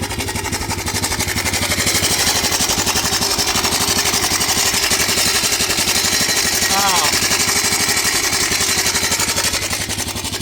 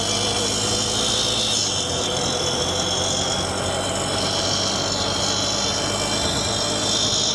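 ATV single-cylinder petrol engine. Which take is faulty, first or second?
first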